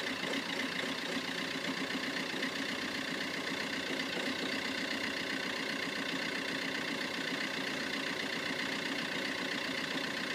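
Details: Vauxhall Corsa Ecoflex cold idle with an uneven, stumbling beat under the engine hum; a misfire when cold that has been present since new.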